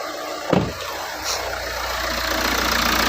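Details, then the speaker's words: Hyundai Santa Fe petrol engine idling steadily and quietly after the drive belt and idlers were replaced. The earlier loud vibrating noise came from outside the engine; now there is no squeal, chirp or grinding. A normal idle. "na siya so hindi katulad na maing ngayon wala ngay ng makina kasi dito lang yung sa labas yung may problema sa labas po ng engine mga idler at saka belt yung pinapalitan natin Okay na po"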